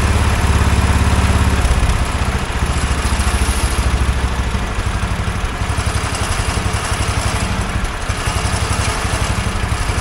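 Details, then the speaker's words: Wheel Horse 416 garden tractor, sat unused for years, started without cleaning the presumed dirty carburetor; even, steady low putter at a settled idle with no misses, knocks, hunting or smoke. Normal idle. "I cannot believe how well this thing idled with a dirty carburetor or what I presumed was a dirty carburetor obviously it's not too bad"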